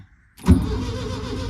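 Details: Carbureted VW with no fuel in the tank, clutch possibly stuck: a click, then the starter turns the engine over steadily but it never catches; crank no start, fuel starvation suspected.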